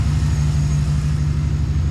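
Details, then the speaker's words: 2008 V8 truck at idle: a deep exhaust note with an uneven, thudding, stumbling beat that drops out now and then; a confirmed misfire, owner mentioned cylinder 4. "I don't know if you guys can hear it, but I sure can. Does have a misfire. Confirmed."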